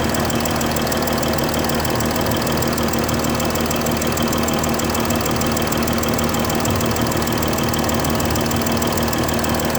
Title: Mercedes S-Class 320 Bad Injector- Nozzle Gasket